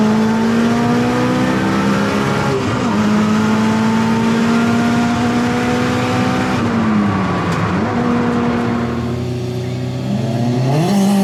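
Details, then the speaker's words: Turbo AWD Eagle Talon drag racing after new spark plugs fixed third and fourth gear: engine note climbs steadily and evenly through the pull with no stutter or misfire at the top end; launch still being tuned. "we're working in the launch the car definitely picked up up top way better"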